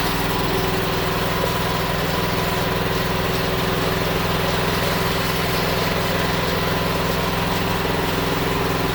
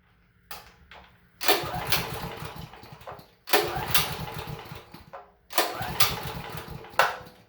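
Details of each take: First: Honda GX390-powered generator that sat about a year and wouldn't start, after fuel system cleaning: steady even drone with no stumbles or surging; it now runs cleanly. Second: Honda GX390 engine generator that sat for about a year: three recoil pulls, each a brief chuffing turnover that never fires; no-start suspected to be a carburetor needing cleaning.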